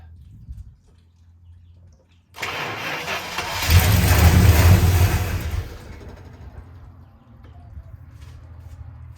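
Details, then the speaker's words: 1965 Chrysler 300 with 383 V8, sat 17 years in California desert since 2005, first start on a gallon of gas to the fuel line: brief cranking, then catches with loud low roar into lumpy idle; owner guesses timing slightly off. "Come on. Timing's off just a squeeze, guess."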